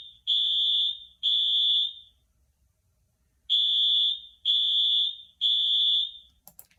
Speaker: is that sound a school fire alarm a train a dog or a fire truck what do you think your answer is show me your fingers the correct answer is one a school firewall if the fire alarm goes off in your school you need to listen up to your teachers and staff they are all trained in fire safety